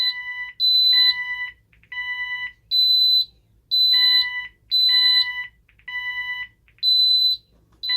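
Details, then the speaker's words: Ademco 6128 alarm keypad on the bench, no modules fitted, fire panic triggered by pressing 1 and star: repeating high electronic beeps in short bursts with pauses, keypad tones mixed in. Fire panic alarm. "So 1 and star, if we push that, that's our fire panic."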